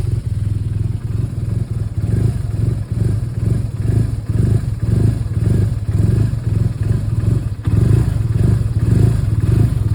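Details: 2011 BMW R1200R motorcycle twin idles unevenly, stumbling about twice a second, then rises roughly when lightly revved; misfire with rough idle.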